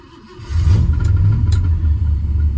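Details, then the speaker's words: 1967 Ford Galaxie 427 W-code clone V8, started after sitting a while with a charged battery and a bit of added gas: it catches and settles into a low, lumpy, uneven rumble, audibly unhappy. Rough running. "You probably hear the unhappiness in the engine."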